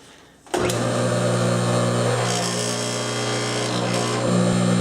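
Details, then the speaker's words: Table saw motor after machining a new pulley to replace one with an oversize bore that wobbled and vibrated. Spins up to a smooth, even hum with only a faint motor-bracket buzz, pulley running true: normal. "just the this wood vibrating in uh the motor bracket you can see dead on through that's just a motor bracket vibrating nothing big"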